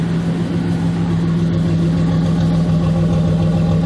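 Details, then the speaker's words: GMC Jimmy with 4.3 Vortec V6, brought in for vibration, high fuel use and fuel smell, after repair, completely cold, heard at exhaust: steady low hum with even unbroken pulse, no stumble; normal smooth idle. "a la cambiante está completamente enfriar y el móvil es escuchar pero bien bonito se escucha prácticamente parejo le digo está completamente fría"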